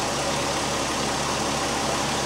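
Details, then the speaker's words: 2001 Volkswagen Jetta GLX idling while warming up after bleeding power steering system; steady hum with no groan, whine or gurgle, no leaks or air bubbles; pump quiet, normal. "I got got through checking for leaks around the pump everything looks great the pump right at this point is nice and quiet right now"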